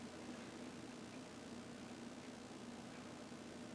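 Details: Commodore Amiga 2000 after replacing its loud fan with a Noctua NF-A8 80 mm fan: only a soft, steady airy hiss with no ticking, rattle or bearing whine; the new fan runs quietly and smoothly.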